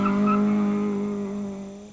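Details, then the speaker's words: Acura autocross launch on a hard start: loud sustained single-pitch squeal fading over two seconds as the front tires spin; burning the tires instead of a proper launch. "There are basically three ways a car can launch. You can do it properly, you can bog the engine, or you can burn the tires."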